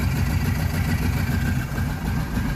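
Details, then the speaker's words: Kawasaki Prairie 650 V-twin ATV after fuel pump and fuel flow repair, running cold without air filter on dual carbs: even, steady low thump at idle, no misses or knocks; normal idle. "runs great and that's without the air filter you can see the dual carb yeah it's a little cold right now"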